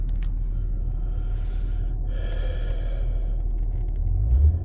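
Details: 2005 Acura TL at idle with catalyst heaters on, also bouncing tachometer and knock detected under load, EGR pulled and cleaned: heavy low rumble with uneven, lumpy pulses, engine stumbling rather than running smooth; misfire, cause unknown.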